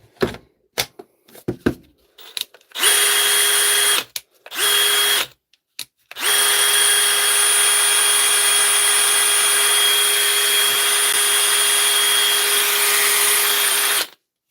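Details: DeWalt tool after repair, test run: short trigger bursts, then a long steady high whine at constant pitch, no grinding or stutter; motor runs properly, judged fixed.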